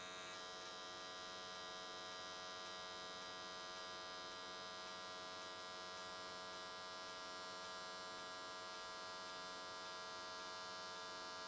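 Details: AC TIG square wave at 95 Hz welding an S13 catch can, new settings tried: steady, even buzzing hum with no crackle or sputter. Normal, stable arc; went the whole way around in one session with good results.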